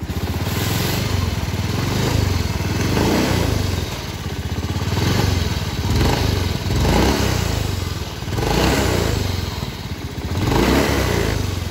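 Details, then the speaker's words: Honda Beat FI scooter, throttle blipped: rhythmic dry "srak srak" scraping rattle over the engine that rises with revs, coming from a worn bearing in the CVT cover. CVT bearing noise. "Ini bukan keratak-keratak tetapi ada suara kayak sak sak sak sak gitu"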